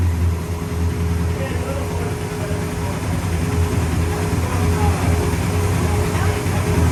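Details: 1966 Pontiac GTO convertible V8 after repairing water entering a cylinder (white smoke): deep, steady burble with an even low drone, no misses or ticking; runs smooth.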